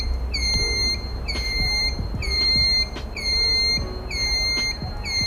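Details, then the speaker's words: Sousa electric bike with scooter motor: loud high-pitched beep about once a second like a reversing truck, from the activated turn signal; exaggerated but normal turn signal buzzer, working as designed. "Então é isso, como vocês podem ver, é um barulho bem exagerado, mas enfim, o importante é que está tudo funcionando."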